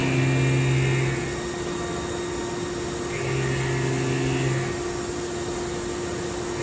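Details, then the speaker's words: Haas Super Mini CNC mill running a program with a longer end mill at conservative settings; steady spindle hum with faint even singing from the long cutter under load, slight chatter from the extra leverage, but an acceptable cut. "Yeah, and it's going to make more chatter, more noise. You can hear the tool a little bit right now, but it's doing a pretty good job."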